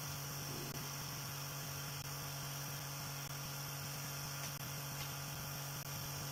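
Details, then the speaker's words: Tiny motor spinning a rotor on a newly finished motor mount, balanced by adding and removing blue tack, with blue tack under the motor holding it in place: low steady hum, faint flutter, no knock or rattle; smooth, quiet running. "That's just a little update on the rotor, and as you can hear, it sounds really sweet. It's running pretty quiet."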